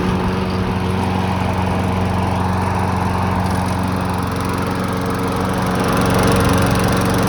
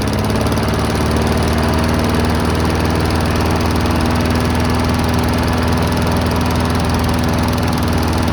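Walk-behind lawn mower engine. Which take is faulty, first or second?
second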